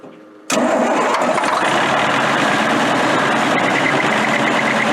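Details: Military Deuce 'n a Half diesel truck with fuel delivery problems, started on ether in cold weather: catches instantly after a brief quiet moment and settles into steady, even diesel clatter with no misses or knocks; air leak suspected.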